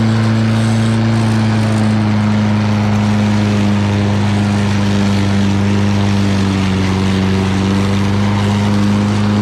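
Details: Lawn Boy all-wheel-drive mower with Kohler engine, cutting and bagging grass: steady, even low drone holding speed under cutting load; normal running.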